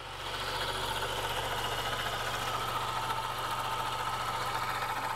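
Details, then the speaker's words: 2017 Honda Accord at idle: fast, uneven ticking chatter from the serpentine belt area, traced to the failing belt tensioner pulley, which was replaced. "there's the uh what's called the belt tensioner this pulley right here and uh that is the culprit"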